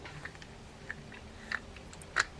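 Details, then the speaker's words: Penn Battle spinning fishing reel: turning the handle gives irregular sharp clicks and crunches, about four in two seconds, a miss in the gear train; suspected missing teeth in the main gear, not confirmed. "nope there you go so there is there's a miss in the gear you can hear it right there"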